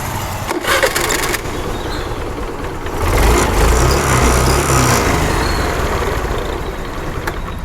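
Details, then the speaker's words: Honda Activa 125 with starter motor overload problem, after decompression system repair, on the old uncharged battery; starter spins briefly and engine catches quickly, settling into an even run without dragging; normal electric start. "തൊട്ട ഉടനെ start ആയി ഒന്ന് start ചെയ്തു നോക്കാം"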